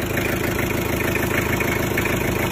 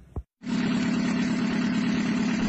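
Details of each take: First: Mitsubishi L300 diesel after an overhaul with new liners, pistons, rings, gasket set, clutch lining, oil and fuel filter, having previously blown heavy smoke from the oil filler; steady diesel clatter at about three beats a second, no smoke: normal idle. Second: Mitsubishi L300 diesel before rebuild, arriving with thick smoke from the oil filler cap; steady idle with a heavy rushing chuff from the crankcase, blow-by from worn piston rings (gap 5 mm) and cylinder liners.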